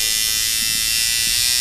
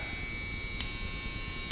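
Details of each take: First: Sidewinder V3 rotary tattoo machine set to hit hard with a longer throw: high buzzy hum with an uneven, choppy low-end rhythm at about 6 volts; more voltage smooths it out. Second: Sidewinder V3/V2.5 rotary tattoo machine at about 7 volts, spring tension backed out about 1 mm, with a little impact added to cure a stutter: a steady, even, crisp high buzz with no stutter. Normal running.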